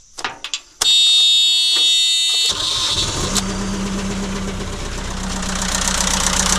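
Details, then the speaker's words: ~2006 JCB 180T mono-boom compact track loader diesel idling rough with an uneven, lopsided beat after a high whistle at start; cracking one injector line made no difference while the other three made it run worse, so that cylinder gets fuel but isn't burning it. "that just told us that that cylinder has a problem with it because I cracked the injector and it didn't make any difference no different sound but all three of these other injectors cracking those made it run a lot worse"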